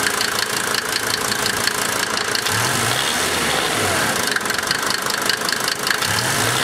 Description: Rough idle confirmation of 1990 Mercedes Benz 300D 2.5 Turbo Diesel